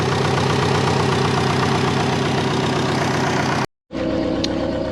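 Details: Twin/compound-turbo Subaru Forester, warming up before first drive since new drain and heat shields: steady, even, slightly fast idle with no misfires; owner suspects a vacuum leak causing high idle and missed boost targets.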